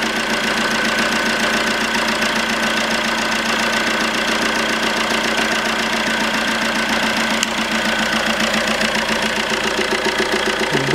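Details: 2008 Fiat Doblo Cargo 1.3 Multijet diesel after repair of a pulled-out clamp stud for injectors 3 and 4, running with the airflow meter disconnected. Steady, even diesel idle clatter, no misfire or escaping-gas hiss; injectors dry, idling normally.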